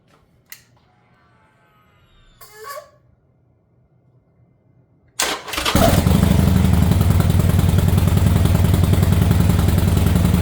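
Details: Harley Sportster V-twin after new Quantum EFI fuel pump, refinished tank and Screaming Eagle 10mm plug wires: a couple of clicks, about five seconds of cranking, then it catches and settles into a steady, even idle; healthy.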